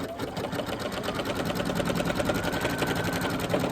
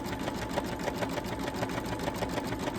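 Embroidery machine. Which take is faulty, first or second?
first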